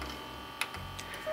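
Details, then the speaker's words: 1999 Sony MHC-VX7 mini hi-fi CD changer: thin, steady motor whir with a high whine and light ticks when switched on, cogs or belts likely rotted away, tray won't eject; noise gone after disconnecting the changer. "So I think what has happened is that the cogs or the belts might have rotted away. So whenever you turn this thing on, it kind of makes this noise."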